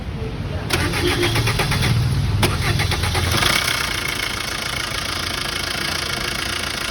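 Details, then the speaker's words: Diesel after a long crank starts, then runs with a busy clattering rattle from the timing chain end of the engine, louder than normal; timing found shifted by half a step, loose timing chain. "Long സെൽഫോടു കൂടി വണ്ടി start ആക്കി കഴിയുമ്പോൾ ടൈമിം ചെയിന്റെ ഭാഗത്തായത് engine തുമ്പിന്റെ ഈ ഭാഗത്ത് നിന്നായിട്ട് ഭയങ്കര സൗണ് ആട്ടോ sound ഒന്ന് കേൾക്കാം ട്ടോ"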